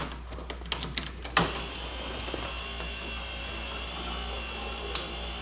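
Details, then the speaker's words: 1987 Pontiac Trans Am GTA (L98) power antenna after repairing the broken internal nylon cord; with key on, a click then a steady, even motor whine as the mast extends fully, working properly. "Well, look at that. Works awesome."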